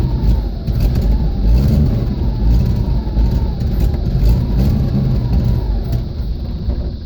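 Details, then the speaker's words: 1979 Jeep CJ5, AMC 258 inline-six, just brought home: rough, uneven running with lumpy low-end pulses and wavering speed; it only runs on full choke, and poor carburetion is suspected, so the carburetor needs cleaning. "okay well this thing goes wrong but it'll only run with a choke on so the car paint's cleaned up"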